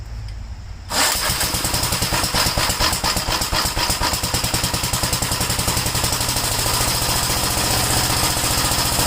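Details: Gravely single-cylinder tractor (the 56, 57 and 61 Gravelys are in this set) starting and idling: it fires right up and settles into a quick, steady beat of about 3.5 pulses a second after the kill switch was sorted out; normal start and idle.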